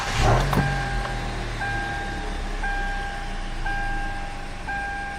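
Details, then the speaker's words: Hyundai Elantra idling smoothly after clearing code P0304 (cylinder 4 misfire), previously rough with low power; steady even idle, dashboard chime repeating. Cause believed to be a bad spark plug installed a month earlier; normal idle after fix. "And again, the engine right now is running very smooth, not like earlier."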